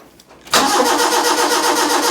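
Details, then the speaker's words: Proton Wira, off the road 12 years, with a flagging battery. The starter whirs with a slow, pulsing turnover for about two seconds and the engine never catches. It has ignition and compression but no fuel reaching it; fuel pump failure suspected. "Aha. Well, hang on a minute. The battery is It was starting to flag already, was it?"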